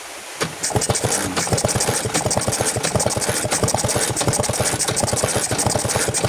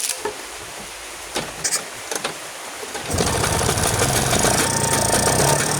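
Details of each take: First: Vespa two-stroke scooter with flooded carburetor, kicked over with the spark plug removed to clear excess fuel from crankcase and combustion chamber: quick, even chuffing bursts, roughly six a second. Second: Vespa two-stroke scooter restarted after clearing flooding with plug out and carburetor setting; a few quiet clicks, then it catches and settles into a steady buzzy run with no stumbling, left running to check it no longer floods.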